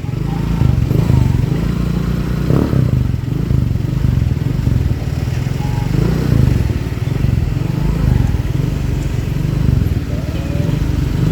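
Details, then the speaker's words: Motorcycle exhaust after muffler repair (glasswool packing thought to be worn out, causing rattling and a hoarse, buzzy tone): deep, steady burble with mild throttle swells, no tinny rattle; the jingling is gone, the original sound is back, and the filter and header were checked and are fine. "Masih ada suaranya Mas udah hilang ya suaranya juga udah balik lagi kan jadi ini udah balik lagi suaranya juga udah tadi kan ada suara kerincing kerincing suara saringan dan cabangnya juga udah ngecek udah Aman semua"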